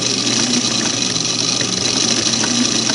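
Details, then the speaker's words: Singer Model 513 sewing machine with covers off, motor belt driving the hand wheel and upper shaft to the needle bar: a steady, even motor hum with a light belt-and-shaft whir, no knocks or rubbing; normal running. "So you can see the motor belt onto the hand wheel right here. And that's what's going to give the whole machine mechanical power"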